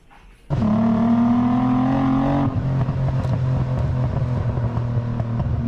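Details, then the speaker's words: 1991 Nissan 300ZX V6 after fixing misfire (cut harness, shorted PTU, popped ignition coil): starts and pulls smoothly, tone rising under throttle then settling to even cruise; normal acceleration. "that sounds like my car let's go guys I haven't gotten a chance to drive this in so [ __ ] long I love it so much she runs"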